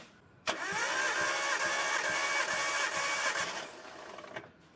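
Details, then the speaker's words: Nissan Skyline R32 RB20DET, reportedly freshly rebuilt, cranking during compression test on cylinder 2: steady even whirring crank with no labouring; healthy. "Yeah, okay, crank you crank it. Let's see what we got on cylinder 2."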